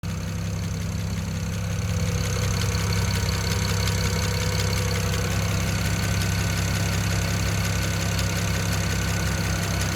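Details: BMW 335i N54 cold engine idling with oil under 47 °C, light quick even ticking over steady hum; disappears above 2000 rpm or once oil passes ~47 °C, cause unknown.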